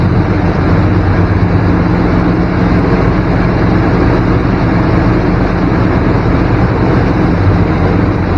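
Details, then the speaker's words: 1994 Chevy K1500 Blazer petrol V8 with fuel injection idling fast at about 1500 rpm due to a significant vacuum leak letting in extra air; the idle drops when the leak area is probed. "oh hear that idle drop got a significant leak here somewhere"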